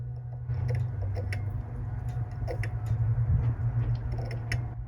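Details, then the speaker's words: 1986 Ford F350 6.9 IDI wiper switch chattering: light, uneven clicking about three to four a second over a low hum, wipers not running; clicking at both switch and Motorcraft motor, owner suspects a bad connection behind the switch. "the switch is clicking so I don't know if we have a bad connection behind here"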